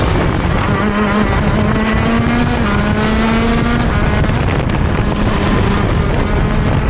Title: Falla en mi GoKart, se ahoga saliendo de curvas (Motor Kart TM Racing KZ-R1)